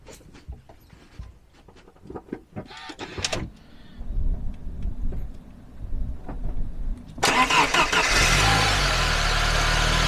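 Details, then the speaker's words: Crank and start during battery tester crank test: short healthy crank catches quickly into smooth steady idle; crank time 1,036 ms, voltage dipped to 9.93 V, crank test normal. "Okay, so the crank time was 1,036 milliseconds. It went down to 9.93 volts. So crank test was normal."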